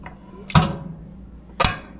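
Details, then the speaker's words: Locked-up Predator 212cc racing engine turned slowly by hand: two sharp separate knocks about a second apart, heard in the head near top dead centre, bottom end seems fine; valve-train knock. "Something's breaking or happening up here. And I'm pretty sure, like I was saying, it's right when the piston reaches the top."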